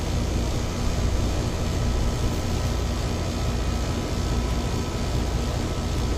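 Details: Ameristar 4-ton AC in 106F heat after replacing a failed Genteq capacitor with a Mars 60/5: steady low hum with even fan rush and no knocks, rattles or chatter; condenser and compressor running normally.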